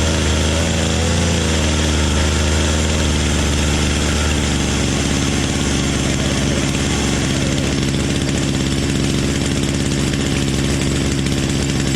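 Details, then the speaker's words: Poulan Pro PP3516 chainsaw after gas line replacement: fast, buzzy idle settling a little lower; throttle stop screw was all the way in, idling too fast, backed out until the chain stopped. "all right so I was making some adjustments over here on the side and the screw in here for the throttle was all the way in so I had to bring that out until the chain stopped"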